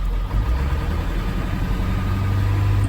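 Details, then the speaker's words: Old high-mileage diesel at idle, using about half a quart of oil per run. Uneven, stumbling beat with dropped firing pulses; it's missing. Owner suspects injectors not working; not confirmed. "I would say if it's burning oil oh well it's old hey stop that many miles on her or more that's pretty done good yeah she's missing"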